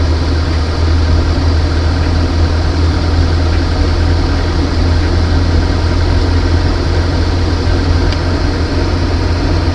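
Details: Van idling after a water pump replacement during the coolant flush and bubble purge, engine heating up. Steady, smooth low hum with an even beat, no ticks, knocks or squeals; idling normally.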